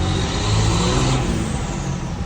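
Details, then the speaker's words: Cummins diesel truck with a self-installed used stock muffler; the owner suspects the turbo silencer ring was removed: a deep, full exhaust rumble that swells with the revs, with the turbo audibly spooling. No knocks or rattles, healthy. "Really love the way the truck sounds. You can really hear that turbo."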